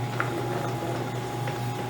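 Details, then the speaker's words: Lewis metal shaper with an ancient drive motor: low steady motor hum with a faint even whine, no knocks or grinding; runs very quietly and healthy. "As you can probably hear, she's a very quiet running shaper. No problem. That motor down below is ancient, but it works just fine."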